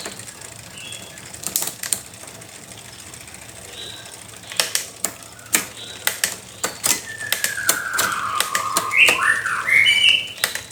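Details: Bicycle rear derailleur out of adjustment: sharp uneven clicks and rattles, delayed, noisy, skipping shifts, birds in background; cable tension needs adjustment.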